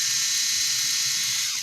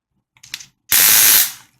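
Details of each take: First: Amope Wet and Dry motorized foot file demonstrating its normal sound: a smooth, steady high-pitched whir with no clicking or catching. The unit otherwise clicks in use; a stripped gear was first suspected, and the roller head may be to blame. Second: Amope Wet and Dry motorized foot file, bought new last week: normal motor whir interrupted by bursts of harsh rapid clicking while filing, like a stripped gear; owner first suspected broken gears, roller head may be to blame.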